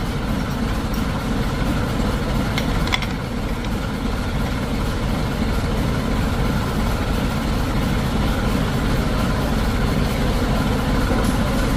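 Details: 2000 Mitsubishi L300 diesel, engine rebuilt after extensive damage: steady diesel clatter at idle with an even, unhurried beat and no knocks or misses; smooth normal idle.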